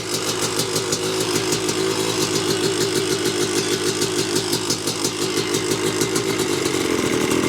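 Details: 1986 Yamaha YZ250 two-stroke, not run since 2015, reeds cleaned, running on a borrowed carb and throttle from a 1975 250 MX. Crisp, even popping at a steady idle, no misses or hesitation, picking up cleanly toward the end: normal two-stroke idle.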